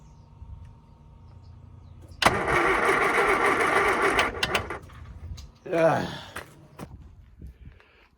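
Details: Classic Mini (Scamp) not run in ages, choke not working, fuel drained: starter whirs about two seconds then a shorter, faltering burst; never catches, flat jump pack dragging cranking speed.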